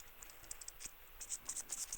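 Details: Solex (Cyclogalet) bottom-end rebuild: the old crankshaft ball bearing, turned by hand, gives a dry gritty rasp with irregular little clicks, a worn bearing before replacement.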